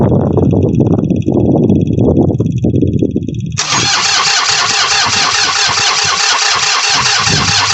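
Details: New Holland Workmaster 25 tractor, 3-cylinder diesel, cold winter morning: the starter cranks steadily for a few seconds with no firing, then a loud steady hiss; fuel sprays out when the key is on, and the engine has lost its fuel prime.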